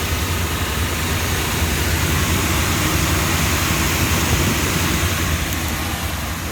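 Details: Rheem package unit (about 2006, 480 V) blower after a thrown-belt no-heat call; even, steady air rush and motor hum with no belt slap or squeal, running smoothly with only slight vibration.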